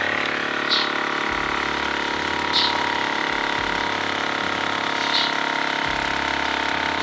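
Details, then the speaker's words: TACKLIFE M1 portable tire inflator screwed onto a bike tire valve, targeting 60 psi: steady buzzing motor drone with even pump chatter and faint ticks, no hiss of escaping air; running normally. "it screwed on fine to the bike i didn't hear any hissing it wasn't letting out air"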